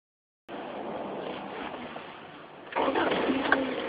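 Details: 1989 Honda CRX intermittent no-crank: silence on key turn, then a sudden crank and the engine catches and runs; worn starter bushings, starter rattled, fixed by replacing the starter.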